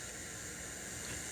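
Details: Crate CA series acoustic amp, gain at 0; reverb return backed off from max leaves a quieter but still steady, even hiss with no tone. Aging DSP reverb chip suspected, not confirmed.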